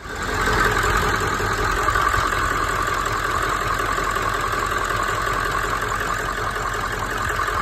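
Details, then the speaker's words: Ford OBS 7.3 Powerstroke diesel, 150,000 miles, after replacing the injector wiring harness (wet, faulty): steady, smooth idle with even clatter, no stumbles or knocks, running clean on all cylinders. "got the dang old new harness installed there and everything see if she does oh she's butter"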